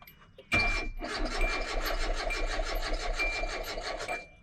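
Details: 2005 Hyundai Accent that drove fine, was parked and then would not start: the starter cranks at an even rhythm for about four seconds and it never fires. Scanner testing points to no RPM signal from a failed crankshaft position sensor.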